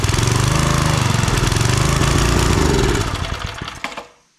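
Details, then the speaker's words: Old Briggs 5 hp single-cylinder on free homemade wood splitter with Montgomery Ward ram, loose choke: chugs fast and choppy about three seconds then stumbles and dies; only runs on choke, owner suspects carb needs cleaning. "It really only wants to run on choke, which means its carb probably needs a cleaning."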